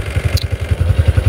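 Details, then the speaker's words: Honda Supra X 125 FI (KYZ engine), 87 days old, idling after 3M padding fixed a rattle: steady crisp exhaust thumps about nine a second, no ticking or misses, normal idle. "Bahkan ada teman-teman di kolom komentar itu bilang, "Ini motor suara knalpotnya itu paling guri, Guys."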